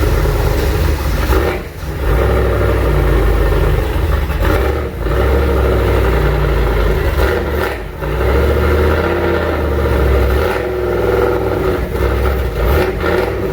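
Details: Junkyard 351W turbo V8 in a 1967 Mustang, first fire-up, exhaust exiting off the fender; lumpy uneven idle with dips and stumbles between throttle blips, rough running, definitely needs a tune.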